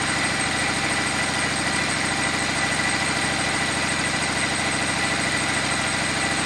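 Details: Cummins 6.7 turbo diesel test engine on its first run on HythanolPLUS biofuel after the tank was flushed, with some residual diesel possibly still in the lines and injectors: even, steady clatter at idle with no misses or knocks. A smooth, healthy idle.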